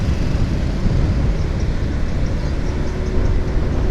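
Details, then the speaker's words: Car just after an oil change to Castrol Neutron, driving slowly: low, steady engine rumble with no knocks or ticks; the engine runs smooth and not too noisy. "ini sudah jalan pelan-pelan dan ternyata masih cukup halus ya suara mesinnya"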